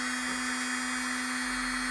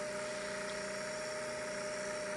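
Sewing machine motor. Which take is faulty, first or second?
second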